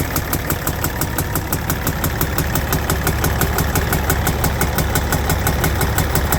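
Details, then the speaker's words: Kenmex truck with Cat C15 diesel at idle making a sharp, regular intake pop about three times a second; valve train suspected, traced to a broken exhaust rocker arm. "now generally when I've seen this or heard this before and there's the Ken mix I'm going on the other side it's usually a rocker arm or valve train problem"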